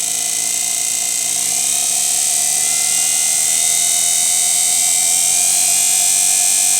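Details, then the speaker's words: Washing machine motor on a speed controller with Hall-sensor tachometer, revving up from about 1000 rpm toward 4900 rpm: smooth, even high-pitched whir creeping higher, no knocks or rattles; runs fine. "Прибавляем. По звуку двигателя слышно, что двигатель набирает обороты."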